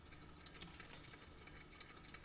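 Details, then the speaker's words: 1960s Dansette record player after a drop of clock oil on gears, likely little used for years: low hum, light ticks and rough gritty grinding from the gear mechanism, speed slowing at times. "I can hear it grinding. So again, all that gear and mechanism."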